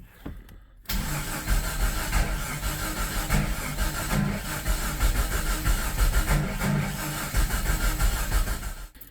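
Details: Jeep Comanche restoration, new plugs and wires, cranked on a battery from an F550: catches but runs lumpy and uneven with irregular stumbling firing; ignition timing is way off.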